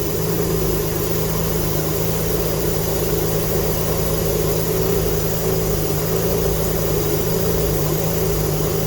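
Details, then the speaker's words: Alfa Romeo GTV V6 after restoration, first full start, still awaiting a new exhaust gasket: a steady, even run with a low rumble and an airy hiss on top; exhaust blowing expected from the missing gasket. "i am still waiting on a new exhaust gasket so if by any chance it does start you will hear the exhaust blowing"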